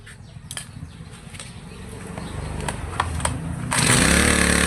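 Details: Two-stroke grass trimmer that stumbled on acceleration, carburetor cleaned and reassembled, mixture screw being tuned (counterclockwise richer, clockwise leaner) to find peak revs then backed off; engine hunts low then jumps to a loud, high steady scream; speed change during carburetor adjustment.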